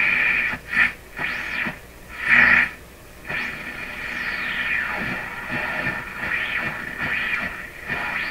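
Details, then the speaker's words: German console tube radio after replacing 17 capacitors: rising and falling whistles and warbling bursts over hiss as the dial moves while tuning. The owner suspects regeneration, possibly an alignment problem; cause unconfirmed. "that's pretty weird you know i know what that sounds it sounds like it's a regeneration but we're picking it up here and there so yeah that could be alignment"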